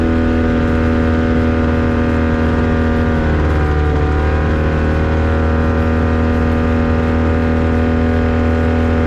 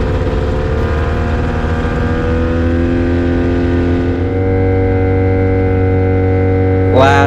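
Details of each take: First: Avid Flyer aircraft with Rotax 670 two-stroke, taxi test at full throttle: loud, steady drone with a slight wavering note. Engine stutters and sputters under full power. Later runs pointed to a dirty air filter. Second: Avid Flyer with Rotax 670 two-stroke, taxi test, after earlier trouble was blamed on a dirty air filter: steady, high-revving drone at an even pitch at full throttle, smooth with no misfire. Healthy running, supporting that diagnosis.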